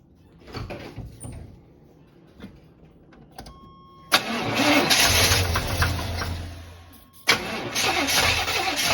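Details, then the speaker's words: Abandoned square-body Chevy truck: starter grinds in quick uneven bursts with no catch or firing; cranks but won't start, suspected bad gas, not confirmed. "dad thinks it is the main problem that won't get no won't even fire up is because it's bad gas"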